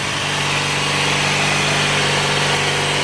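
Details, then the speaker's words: Bolens 3014H AJ Foyt lawn tractor, Briggs & Stratton 14 HP opposed twin, after replacing the solenoid and adding a ground wire, choke on and throttle up: steady low idle with an even beat and no misses; it now starts by key without hot-wiring. "Still like to figure out the other issues, but at least I can start it up now without having to do the hot wire thing."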